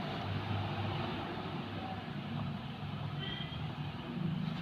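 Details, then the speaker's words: Maruti Suzuki Alto, steering rocked after tightening the loose steering damper nut (about 1.5 threads loose), which previously knocked on bumps and steering play: steady low engine hum, no knock or clunk; normal steering, no knock. "അപ്പോൾ damper tight ചെയ്തപ്പോൾ ഇതിൻ്റെ sound പോയിട്ടുണ്ട്."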